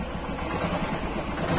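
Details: Royal Enfield Thunderbird single-cylinder after clutch cover repair idles with a steady, even thump; the earlier clutch-cover noise is gone, no rattle from the clutch side.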